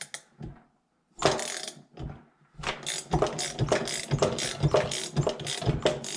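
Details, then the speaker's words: Seized bottom end of a small two-stroke three-wheeler (Yamaha YT60 Tri-Zinger) after soaking bearings in diesel and two-stroke oil, turned by hand: uneven ratcheting strokes with a faint squeak on each turn. "so you hear that i can hear it squeaky"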